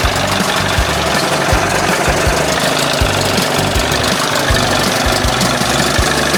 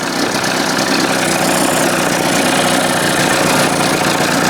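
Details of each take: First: 1981 20 hp Evinrude two-stroke outboard after powerhead flush and new thermostat and gasket, fixing cold running; heard warm and steaming with a loud, even rattle, no stumbles or surging, holding steady speed: best it has run so far. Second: 1981 20 hp Evinrude two-stroke outboard just restarted without choke after powerhead flush and new thermostat, still warming up: busy idle with fast, uneven typewriter-like clatter and less smoke than before; stumble cause not yet found.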